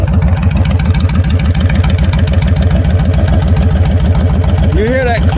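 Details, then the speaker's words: Kawasaki Vulcan 1500 Classic, 1500 cc V-twin with Vance Hines straight pipes: loping uneven idle of about three and a half thumps a second with mechanical clunks; normal for this engine. "you hear all kind of noises riding this thing besides the exhaust makes you wonder if something gonna fly off of this but again that's just the way they are"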